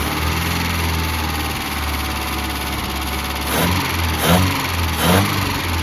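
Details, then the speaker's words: 1988 Mazda B2200, carbureted, first start after 13 years sitting, with the carburetor fitted and ignition reconnected: rough, loud idle with a deep blat and a few throttle blips. Loud exhaust; the muffler is blamed. "That's the That's the muffler. But, it runs."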